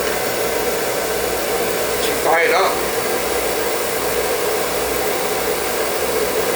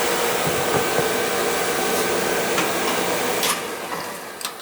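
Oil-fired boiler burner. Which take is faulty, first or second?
second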